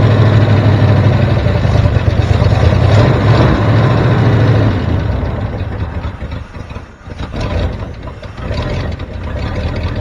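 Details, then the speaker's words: 1973 Ford F350 dump truck (76 cab, 79 front) V8 idling slowly and unevenly, sagging and loping as if near stalling; idle set too low, choke wired open, vacuum leak suspected, not confirmed. "f sounds like you got the idle set a little low so maybe we'll fle with that"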